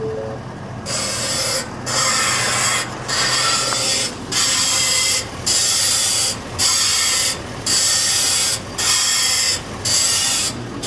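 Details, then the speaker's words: 2023 Ford F-450 Super Duty Power Stroke at 50,000 miles, engine running, wheel turned: high, harsh screech about once a second with each steering movement and on return to center; power steering pump suspected, not confirmed. "So that's the noise we're dealing with. And what's interesting about this noise, sounds like something with the power steering pump, because every time the system's working, it's making that noise."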